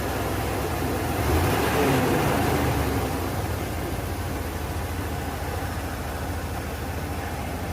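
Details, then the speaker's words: 1992 Ford Bronco 5.0 302 V8 after harmonic balancer and water pump replacement: low, steady, even idle with no shake or stumble; the earlier idle shaking was the failed harmonic balancer, not a misfire; normal idle. "nice and smooth smooth as a baby's rear end look at that no shaking no hesitation smooth idle everything's nice and lined up"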